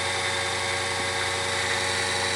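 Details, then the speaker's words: Grizzly G0781 mill after belt drive conversion with Little Machine Shop kit, at full speed: smooth steady hum with light high whir, no slap, squeal or knocking; super quiet, healthy belt drive. "that is super quiet that's full that's full power right there like I mean full speed"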